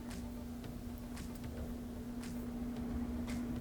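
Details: Whirlpool Series 80 (Kenmore) dryer, after repair of scraping sound by replacing worn support rollers and belt: steady low motor hum, even soft drum rumble, no scraping or rubbing; drum turns smoothly.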